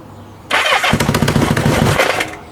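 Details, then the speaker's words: Kawasaki Z650B under restoration, first start in about 10 years after a new ignition, choke on: the starter clutch whirs, the engine chuffs briefly then dies; it won't take throttle, owner suspects fuel starvation from the choke. "sounds like it's running out of fuel which is all because I've got the choke on yeah he won't take any throttle at all"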